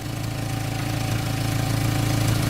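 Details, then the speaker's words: Warm Jetta after a makeshift resonator replacement using a salvaged resonator, clamps and muffler tape: low even idle rumble with a soft steady exhaust note and no puffing or ticking; quiet exhaust, only a small leak remaining. "you got a small leak back here at least from where it was it's much better yeah once that hard and said [ __ ] fix itself in theory not so much quieter than what you had"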